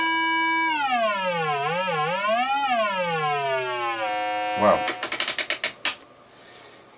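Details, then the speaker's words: 1950 GEC BC5243 Bakelite valve radio: an AF generator signal is injected at the audio output valve base to test the output transformer. It gives a clean, steady tone sweeping in pitch without crackle or distortion. The output stage is working normally. "So I've got my trusty AF generator there, or RC oscillator. We're gonna connect the signal up there."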